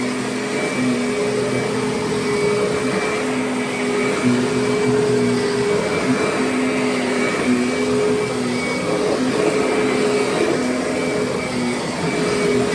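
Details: Curb-found Kirby Sentria upright vacuum, some parts broken and outer bag needing replacement, runs after testing: steady, even motor whine with smooth airflow rush, constant pitch, no rubbing or knocking; self-propel quiet, sounds good, runs good, vacuums fine.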